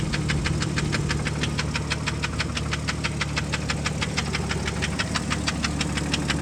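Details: 1998 Jeep Grand Cherokee Laredo 4.0 inline-6, 233k miles: sharp, even ticking knock about three times a second over idle, changing as throttle body is pressed to raise rpm; knock from inside the engine.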